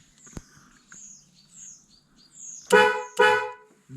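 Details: Vauxhall Corsa B Sport, horn with cut wiring fed power directly through a probe. Two short, sharp blasts with a clean, steady tone each time. The horn itself works normally.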